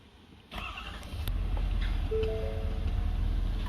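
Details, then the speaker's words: 2019 Ford F350 6.7 Powerstroke diesel, warm, cranked after fuel filter changes and priming; a brief crank catches quickly and settles into a steady low idle, a clean, prompt start. "Fired right up. I let it run a couple of seconds. Mine's warm."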